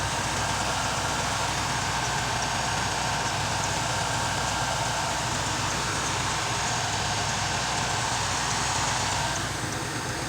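Steady, even idle with no knocks, ticks or misses, just a smooth engine hum throughout; it sounds healthy.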